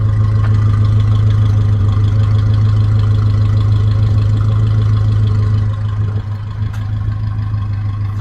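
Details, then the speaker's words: 1971 Dodge Coronet police car, 383 four-barrel big block, just running after fuel tank, lines and pump rebuild: low steady V8 idle with even lope, no misses or knocking; owner suspects slight stuck rings but judges it a healthy normal idle. "sounds good though I'm definitely happy with that"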